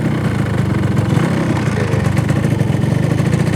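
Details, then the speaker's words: Restored Yamaha RX-King with original stock exhaust, cruising relaxed: light, rapid two-stroke burble, even and steady with a soft exhaust; healthy, factory-quiet stock note. "Nah, knalpotnya kita pakein original. Makanya kalau kita jalan di perumahan juga sopan. Kayak baru keluar dari pabrik lah suaranya, jadi nggak mengganggu tetangga."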